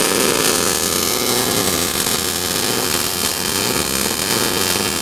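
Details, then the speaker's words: MIG welder, first-time welder practicing a bead. Harsh, uneven hiss with little steady crackle: the torch is held too far away with excessive wire stickout, running hot, with slow travel instead of sliding. "look at your wire sticking out now oh wow you're getting way too far away like I was telling sometimes look how hot that is as you go you're not you're doing more of this instead of sliding"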